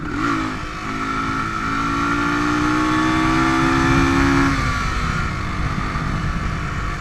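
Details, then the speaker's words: Used Suzuki DR350S single at speed: the note climbs and drones, then sags and drops away as it loses power. The bike has been backfiring off throttle and losing power at high speed before breaking down. Cause unconfirmed. "okay so right here's a good example of it residents power and it just kind of bugging out it's pretty scary situation especially when you're new right"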